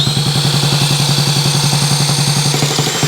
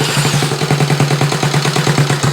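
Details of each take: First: Honda Z50 mini trail rebuilt from parts, first start on electric starter with carb just fitted, no throttle cable hooked up: fast lumpy single-cylinder chug at a low, barely held idle with faint whine; idle too low, needs more idle. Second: Rebuilt Honda Z50 mini trail on its first electric-start run, choke in use, no throttle cable fitted: the small single catches and settles into a quick, even popping of about nine beats a second; it runs cleanly.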